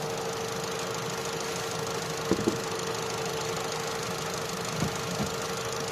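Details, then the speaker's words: Opel Astra J 1.4 with a single coil pack, which had a check-engine light, shaking and a cylinder 1 misfire: after clearing codes, misfire counters read zero on all four cylinders, and it holds an even, steady idle with a faint whine and no stumble. "Zero. Ăsta e history și a avut, dar acuma e zero. 0 la 2, 0 la 3 și la 4. Nu ești 0. Deci toate s cu zero."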